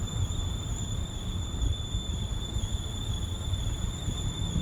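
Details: Vauxhall Astra J 1.4T making a steady high-pitched squeal holding one pitch over a low engine rumble; cause unknown, owner plans a garage visit.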